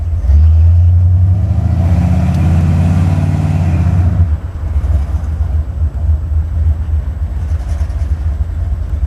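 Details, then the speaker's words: Buick 455 V8 in a Regal T, engine and cam in the car over a decade, mechanical fuel gauge showing about 5–6 psi after the regulator: a deep loping rumble, a rev blip, then a steady idle with no ticking. Cam still sounds brand-new. "this Tam still sounds like it's brand-new even though it's been in the motor the motors been in this car for over a decade it sounds good"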